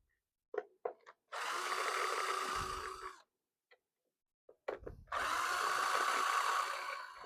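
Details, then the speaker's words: Cordless drill set on low speed with a flat battery pack: two short runs whir at a sagging, labored pitch after a few clicks; drill bogging, struggling from low battery. "it's on low speed hopefully it speeds up a bit on on this oh it's struggling"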